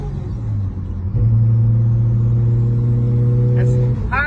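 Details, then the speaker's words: Nissan Skyline R33 driven after fixing a wastegate valve that had stayed open and stopped the turbo boosting: strong drone climbing smoothly under load from around 3,000 rpm where the turbo comes alive, then a clean lift-off. "fordulat, és már él a turbó, él az autó."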